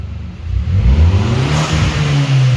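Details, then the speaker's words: Audi TT with aftermarket exhaust, bonnet open: engine climbs quickly from idle into a strong clean rev with no misfire or clatter; sounds good, though owner says it hesitates at high revs and hard acceleration, suspecting fuel delivery or spark issue. "So yes, she sounds good."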